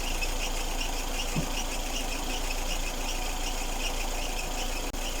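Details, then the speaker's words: Lada Kalina idling with a steady high whistle pulsing about four times a second, usually worse when cold; drive belt suspected; whistle seems to have stopped after silicone lubricant applied to the belt. "это может быть из-за ремня что типа ремень это может так свистеть"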